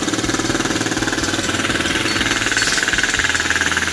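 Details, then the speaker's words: New Odes Rider 8 125cc automatic ATV just started, not yet warm: brisk, even single-cylinder putter about four beats per second, holding steady; idle slightly high, may need adjusting down once warmed. "And I can tell you, if you can get a good indication from here, the idle's just a little high on this right now. We'll wait till it warms, clear up, make sure that that level stays the same."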